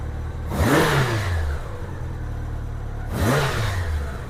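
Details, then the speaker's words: 1987 Honda GL1200 Goldwing after carb synchronization, idling at about 900–1000 rpm; two clean throttle blips rise smoothly and drop straight back to idle with no popping. Normal throttle response. "Engine sounds really good. There's no popping, no problems. It returns back to idle the way it's supposed to."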